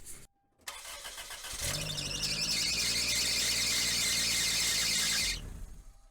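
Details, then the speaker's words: Toyota Corolla, engine cold at startup, power steering reservoir full: engine catches, then a loud high-pitched squeal over idle for several seconds that goes away once warm; failing power steering pump. "uh start up the vehicle and the noise went away so I'm 100% positive that the power steering pump is failing"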